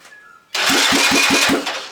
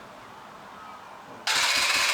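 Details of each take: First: Restored Honda farm bike cranked with terminals wired straight to a bigger battery: brisk, even cranking, about five strong compression beats a second; healthy starter cranking, far better than before on the weak battery. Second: Honda farm bike under restoration, fuel tank refitted and fuel added, on hand choke: engine catches, runs raspy for about two seconds, dies, fires again, won't settle into an idle.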